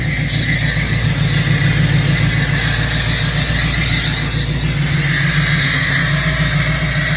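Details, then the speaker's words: 2003 Mustang Cobra with a bad engine (dead cylinder, knocking, burning oil, suspected vacuum leak, suspected exhaust leak on left side) idling after a drive: loud uneven lumpy idle, stumbling three or four beats per second, wavering low rumble; cylinder missing. "Kill it, I don't want to push start it. Thing's running like ass. I can hear it missing."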